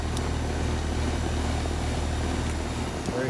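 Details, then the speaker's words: Tempstar/ICP ton-and-a-half AC condenser back running after bad capacitor replaced and R-22 added for no-cooling complaint: steady low compressor and fan hum with no clatter or buzzing, running smoothly. "so let's see if she starts up all right it is back up and running"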